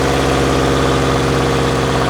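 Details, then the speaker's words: Subaru Forester held near 2000 rpm: rough, throbbing, uneven beat from the left side of the engine, yet no exhaust felt escaping and no check engine light. Clogged catalytic converter ruled out; valve or timing problem suspected. Abnormal engine noise. "but there's no, I feel no exhaust coming out, but man, it sure sounds bad."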